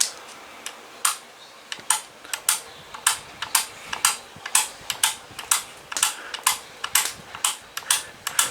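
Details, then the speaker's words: Holmes HACP9 6-inch oscillating clip fan: sharp, crisp pops about twice a second, unevenly spaced, over a quiet fan with oscillation on; popping noise, suspected to come from the faulty oscillation drive and possibly needing oil, not confirmed. "it might produce some popping noises but that could be because of the problem with the oscillation"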